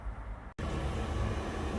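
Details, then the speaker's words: Newly installed diesel air heater in a van build, controller set to 75 degrees, running after five priming attempts; following a brief cutout, a steady low roar and blowing hum settle in evenly as hot air comes out, working normally. "All right, you guys hear that? Just hot air coming out. It is working."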